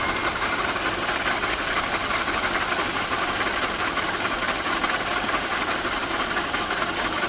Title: second video of strange noise